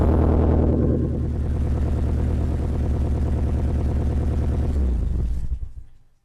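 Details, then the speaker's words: 1980s Nissan Silvia S12 imported from Lithuania after 30 years stored, running on a borrowed battery, alternator not charging: loud, coarse low rumble with a rapid pulsing beat until shutdown; exhaust leak suspected. "and then also it makes quite a bit of noise so I suspect a fit in the exhaust"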